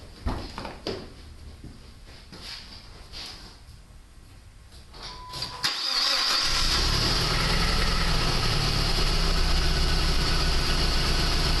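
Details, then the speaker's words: 2001 PT Cruiser 2.4, misfire at idle, engine shaking: starts and settles into a lumpy, pulsing idle; suspects an imbalance like a burnt valve in one cylinder. "started as you can tell from the shaking of the engine and the sound of it exhaust there's a evident misfire at [Music] itle do clear up may it sounds like a an imbalance like maybe a burnt valve or something going on with one at a cylinder"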